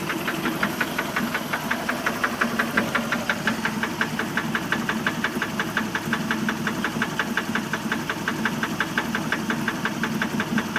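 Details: 1988 MerCruiser 3.0-liter boat engine at idle: a sharp, regular knock about three per second stands out clearly over the steady idle; an internal knock whose cause is not identified.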